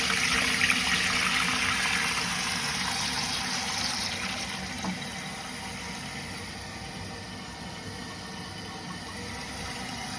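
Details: Toilet after flapper replacement and a new fill valve: even rushing water hiss settling gradually as the tank fills, no dripping or trickling; a normal fill.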